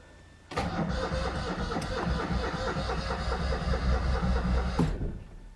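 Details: Fox car after fuel tank refit: starter churns at an even beat, about three turns a second, for four seconds without catching; crank no start.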